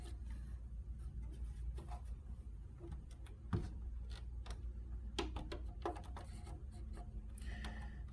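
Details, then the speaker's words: 1987 Apple Macintosh Plus 1MB floppy drive, owner already doubted it works: irregular dry ticks and clunks in bursts with pauses, drive seeking but never reading the disk though screen shows; cause unconfirmed, to be taken apart. "these things are notorious for not working okay something is not right it doesn't align all right all right well it's not liking but we have the screen that says a lot and I can hear it's trying to read something but that's about all we get"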